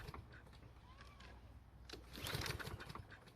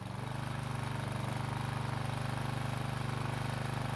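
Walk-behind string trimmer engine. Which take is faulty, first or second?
first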